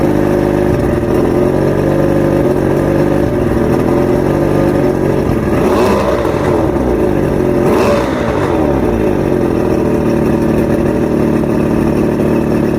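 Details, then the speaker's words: Outboard rebuilt with all new electronics after three weeks chasing rough idle, surges and misfires: steady, even engine note with two smooth rev rises and falls, no stumbles or surging; now running properly. "I went down the rabbit hole, finally got the engine talking. It was definitely a process."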